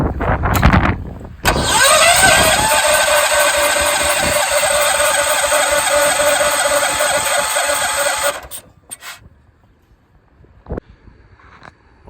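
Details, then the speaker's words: 1968 John Deere 140 H3 garden tractor, unrun 20+ years, cleaned corroded points: starter cranks evenly about three or four beats a second for six seconds without catching; no resistance across plug wire, bad lead suspected, coil wire then replaced. "I think this might be as simple as this just being a bad spark plug wire, because I'm not getting any resistance between it. So I may just change out this wire and see what I got."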